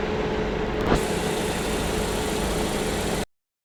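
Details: Petrol car idling with a steady, even hum and no missed beats after repair; the earlier misfire was blamed on a loose, wrong spark plug and a dirty throttle body, which was cleaned.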